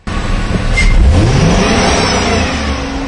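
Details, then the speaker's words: 2006 Chevy Silverado 6.0L V8 doing the crank position relearn, foot on brake: wide-open throttle sweeps cleanly up to fuel cutoff with no choppiness, much smoother than before. "okay we have the fuel cutoff occur there and you sometimes have to do this a couple of times but notice how much smoother it is now it's not all choppy and everything"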